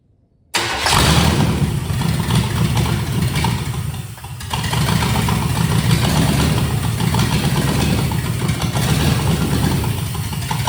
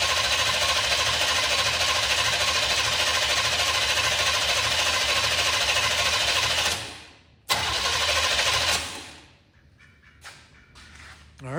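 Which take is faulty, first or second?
first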